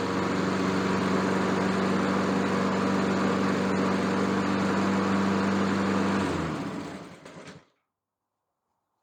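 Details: Honda lawn mower that had no compression, after a valve job, some hammering and valve cover sealant applied; even, steady single-cylinder drone at constant speed, then a clean wind-down to stop with no misses; running normally.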